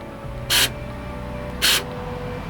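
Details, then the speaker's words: 2005–2006 Ford Expedition door lock operated by key: two brief harsh buzzes with no lock clunk, door not unlocking or locking; failed power door lock actuator, to be replaced. "no but you hear that buzzing it should it should go up and down and it's not it's not unlocking and loocking"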